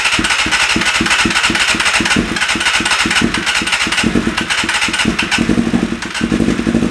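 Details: 1988 Kawasaki ZXR250 on choke and a little starting spray after a backfire from residual fuel; ragged, uneven idle with irregular pops and gaps; owner guesses it's running on 3 cylinders, choke not working, bowls nearly out of fuel; suspected.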